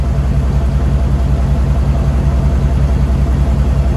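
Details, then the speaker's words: 2000 Chevy Silverado 2500 ex-plow truck, 6.0L LS, 5-speed manual, 4WD, still on its factory exhaust, clutch shot: fired right up and idles with a quiet, low, even rumble, no knocks or ticks; normal idle. "But I mean, dude, thing fired right up. Why was this that easy? It literally just fire. It's so quiet. It still has the factory exhaust system on it."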